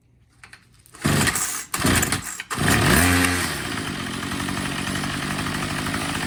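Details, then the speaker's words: Troy-Bilt TB22 EC two-stroke weed eater during carburetor tune-up, low-speed screw turned in: a couple of pulls, then buzzy running that sags, struggles to hold idle and dies; low-speed mixture set too lean. "see it died right away so i'm going to open it a little bit more start it up again"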